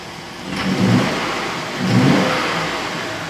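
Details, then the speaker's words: 2007 Chevrolet Suburban 5.3 V8 blipped twice, lumpy and choppy: entire bank one misfire, cylinders 1, 3, 5, 7 dead with coil control circuit codes, random misfire and lean codes, raw fuel. "so we have random cylinder misfire which we know let me start it up so you can hear it i don't know if you'll be able to tell or not but"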